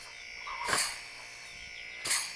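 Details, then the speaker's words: Old refrigerator compressor motor being adapted as an air compressor for filling tyres, first power-on before the hose is attached: steady low electric hum with a faint buzz and a couple of handling knocks; it runs normally. "Ah, e antes de colocar a mangueira, pessoal, eu vou ligar aqui pra vocês verem como é que liga. Ó. Funcionou, pessoal."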